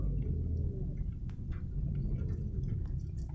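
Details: Lada Largus Cross after repair, engine running with wheel turned fully left: low steady rumble with no squeal or whistle from the running gear that previously occurred when turning, especially left; brakes occasionally whistle slightly themselves.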